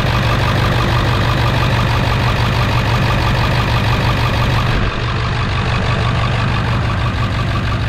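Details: 1999 Ford F-350 7.3 diesel, cold start after replacing fuel bowl drain valve, no leaks: uneven lumpy clatter at idle, seems down an injector until warm; cause unconfirmed.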